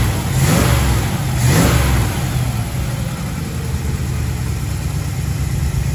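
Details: 1936 Chevy coupe, 350 small-block V8, new HEI distributor, pre-warmed: idle climbs and hangs high after a brief rev, following timing advance; idle speed needs turning down.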